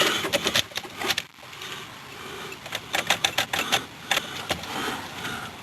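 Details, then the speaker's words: 2000 Dodge Durango SLT not started in a while, key turned: rapid, irregular bursts of sharp clicks with no cranking and no horn. Starter solenoid chattering on a completely dead battery. "What do you know? This this this battery is completely dead. It's got absolutely no power at all."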